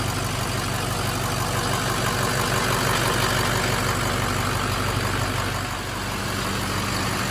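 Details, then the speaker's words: Abandoned Ford F550 diesel truck just restarted after lift pump issue was fixed: steady idle with faint pulsing about three times a second; owner suspects air still in the fuel system, heard bubbling, needs to run it out; uneven diesel idle. "Also, I think we need to charge our fuel system because there's some air in it. I can still hear the air bubbling inside there."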